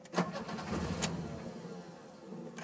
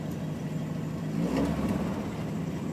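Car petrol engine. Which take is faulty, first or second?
first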